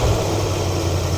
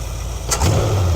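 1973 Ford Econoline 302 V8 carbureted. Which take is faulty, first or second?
first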